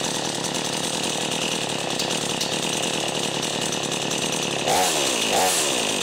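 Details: Brand new XtremepowerUS 45cc two-stroke chainsaw on mixed fuel, warm after cold-start smoke cleared: steady high raspy buzz at fast even idle, blipping up briefly near the end; running clean, ready to cut.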